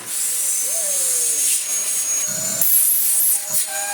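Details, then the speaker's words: Dyson vacuum: a high, hissy rush of air with a thin whistle over the motor, because the suction release valve has tripped and needs resetting. "It thinks it's a Shark CV100 now. Let's reset the release valve."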